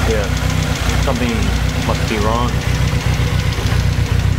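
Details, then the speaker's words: Toyota AE86 Trueno with turbo 4A-GZE awaiting engine rebuild, first start in over a month, warming up about 5–6 minutes: light quick tapping over an uneven warm-up idle from the top end, with blow-by smoke venting from valve cover to catch can; cause not found. "so you can see some smoke over there and there's one tapping noise you can hear"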